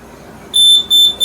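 A shrill high beep comes in repeated bursts once the sensor goes dark, showing the light-sensor alarm has tripped as intended.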